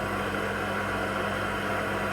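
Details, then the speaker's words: Haas VF1 CNC mill after spindle gearbox rebuild, low gear, spindle at 500 rpm: constant mechanical hum with steady low tone and faint gear whine; noisy gear mesh, unlike a silent VF3. "Go 500. There's a bit of a noise."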